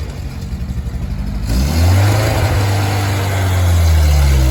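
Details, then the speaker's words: Willys CJ3B with freshly swapped F-head engine and original air cleaner refitted: lumpy idle pulses, then a rev into a loud, coarse, low exhaust drone like a tractor; the old muffler is worn out. "okay it currently sounds like a tractor with that old uh muffler on it so I'm going to see if about getting a different Muffler"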